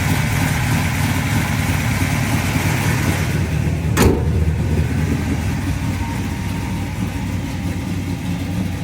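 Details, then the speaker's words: 1972 Chevrolet Chevelle, aluminum-headed 462 cubic-inch big block built last year, about 602 hp, rebuilt Turbo 350 with stall converter and shift kit: deep, lumpy idle with a sharp rev blip, settling back smooth and even; normal idle and revving. "oh runs nice yeah 602 horse mongers every bit of it"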